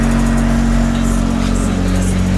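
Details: 1G DSM Mitsubishi Eclipse autocross car with 4G63 engine, first run after engine and transmission reinstall: strong, steady engine note with a slight rise in revs, even and smooth with no knocks; engine running healthy.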